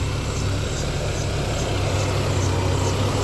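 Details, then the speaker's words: 1994 Ford Ranger 2.3L four-cylinder, after replacing a hose to fix rough idle: low steady rumble with even beat, no stumbles or misses; idle normal, slightly high at first; problem solved. "it's idling started that's good and it's idling totally normal I'd say problem solved"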